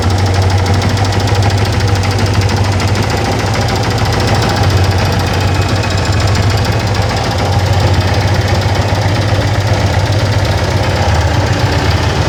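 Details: Yamaha FZ16 Fazer engine: loud steady low drone with a fine rapid ticking chatter laid over it at constant speed; unusual engine noise, cause unknown.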